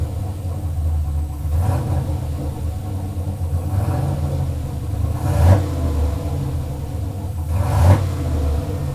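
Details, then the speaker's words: First start of a turbo LS Chevelle on Holley Terminator X EFI, fuel pressure at 60 psi: low, lumpy rumble with uneven pulses and a couple of throttle blips; closed loop pulling 31% fuel, rough idle needing further tuning. "all right closed loop it's pulling 31 of fuel pretty shaky it needs to be tuned further obviously"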